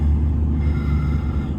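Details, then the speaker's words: 1996 Jaguar XK8 4.0 V8, automatic still fitted, during a CAN-bus Manual Control Module test, cold start in park: deep, steady, even fast-idle rumble with no stumble, RPM then dropping; no gearbox fault; normal cold-start fast idle. "Oh, RPM has dropped. So, there you go. Car starts and we have no uh gearbox fault."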